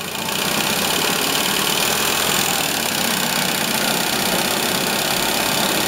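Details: Inch-scale single-cylinder steam engine driving a gypsy winch head on compressed air, pulling a vice across the shop floor: even, steady hiss and chuff with no knocks or uneven beats; normal running under load.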